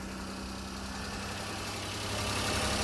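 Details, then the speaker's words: Mini truck running with the air filter lid held off by hand (owner says it won't run with lid on, suspects frame snorkel plugged with mouse debris): steady, even idle with low hum, takes throttle fine; normal idle. "I'll show you what I mean okay so she's running I have the lid here in my hand"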